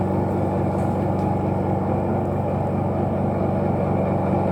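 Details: Exhaust fan in a hand-wash room: steady droning hum with a rough, uneven flutter about four times a second. An alarming abnormal fan noise, cause unknown.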